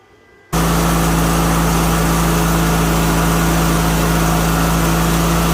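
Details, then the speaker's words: 2000 Craftsman LT1000, Briggs & Stratton 21HP L-head twin, after carburetor clean/rebuild and fuel pump rebuild stopped the fuel leak: engine catches after a brief pause and settles into a smooth, even drone with steady low hum; normal running. "We got the carb cleaned, fuel pump to stop leaking fuel. We got the new grill on it. We got the new tires on it. Tubes in the tires. And it's running."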